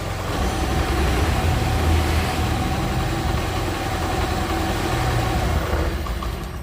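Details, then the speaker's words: Honda Beat FI scooter after replacing the failed ECU that gave no spark or injector spray: steady, even low putter at idle with no misses or hunting, running normally again; idle setting still to be adjusted. "Oke, teman-teman bisa dengar sendiri. Ini hidupnya sudah normal lagi. Oke. Oke. Ini motor sudah normal lagi."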